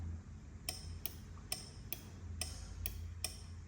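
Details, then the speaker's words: Abron double-walled aluminium-chamber thermostatic oven, heard up close: sharp, evenly spaced clicks about every half second over a low hum as the thermostat cycles the heater to hold temperature. Normal operation. "This tells you the heater is working and tells you this is the notch. Here it is to maintain on this particular temperature."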